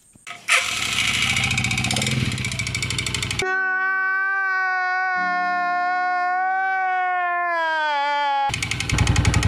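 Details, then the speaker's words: Motoposh Pinoy 155 (about 150cc) motorcycle, long stored, hard to start, idling with a loud knock that sounds like connecting rod knock; rod checked fine, actually piston slap from a worn, loose cylinder bore needing a rebore; timing gear also chipped. "so pagka narinig niyo yung under niyan maririnig niyo yung under niya medyo maingay Kung pakinggan niyo para siyang connecting rod"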